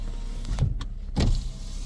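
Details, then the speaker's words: 2017 Toyota Corolla on pre-purchase inspection, driver-side auto power window going up and down; short smooth motor whir with no grinding, clicking or strain, sounds normal. "do I hear anything unusual when the windows going up and down no really sounds good"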